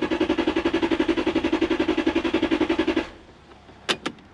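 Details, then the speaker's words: Lexus LS400 1UZ-FE V8 with suspect ECU (possibly OBD2 unit, no diagnostic code flashing): even starter cranking about four beats a second for three seconds, never firing; crank no start, ECU problem suspected. "it doesn't okay so it doesn't go the engine doesn't start we know there's a problem with that ecu"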